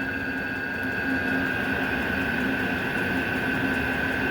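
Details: Vevor 8 kW diesel cabin heater with cast radiator heat recovery, about 10 minutes after start-up (outlet 232°, exhaust 237°): steady high whistle over the blower rush from the combustion-air intake filter. Moving the intake outside later quieted it.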